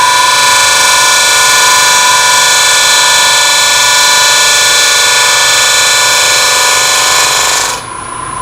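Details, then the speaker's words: Lathe at about 1000 rpm turning open-segment oak vessel with narrow negative rake scraper; steady high even singing tone, no chatter, smoother cut than before. "here's a negative scraper doing the same cut i like the sound here better"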